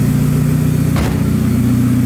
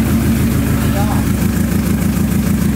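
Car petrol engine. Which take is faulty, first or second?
second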